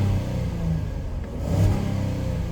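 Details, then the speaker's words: 2018 Ford Explorer 4WD, 51,000 original miles, known transmission problem: engine revving smoothly, deep rev rising and settling evenly, no knocks or rattles; motor sounds great, AC ice cold. Normal engine revving. "the motor sounds great the AC is blowing ice cold"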